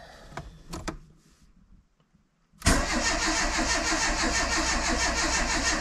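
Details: Renault Super 5 after 1.5 years of restoration and engine rebuild, first crank with ignition not installed and carb untuned: even cranking about three compression beats a second, no knocks or grinding; turns over cleanly, though the sump leaks oil.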